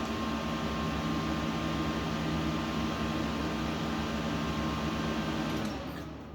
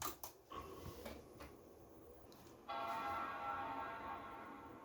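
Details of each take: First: Dusty Late 2005 Power Mac G5 (2.3GHz dual-core PowerPC): on waking from sleep the screen stays blank and the fans run at full speed with a loud steady rushing whir, then it is shut off and winds down. Cause unknown. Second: Late 2005 Power Mac G5 (2.3GHz dual-core PowerPC, GeForce 6600) powered on after reinstalling the RAM: soft click, then a clean, sustained bell-like chord that fades evenly, a normal startup chime.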